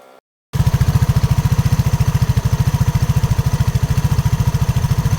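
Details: RUSI RFi 175 scooter: engine starts, then a hard low thumping knock beats about three times a second at idle; source unknown.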